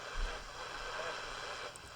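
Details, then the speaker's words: Westinghouse H-712P9 AM/SW transistor radio, volume at maximum: faint, hissy audio buried in static and not very loud, as if warming up; owner suspects failing electrolytic capacitors or possibly a bad transistor; not confirmed. "ow I have the volume turned all the way up and it's not very loud so very strange I mean the radio almost like it's warming up and what I think is happening is I think some of the electrolytic capacitors in here are going bad"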